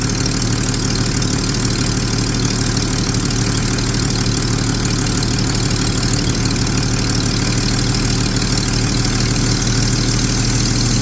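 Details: 1999 Jeep 4.0 inline-six at idle, tested with a vacuum gauge: steady low idle with an even drone and a faint constant hiss; possibly a vacuum leak, not confirmed.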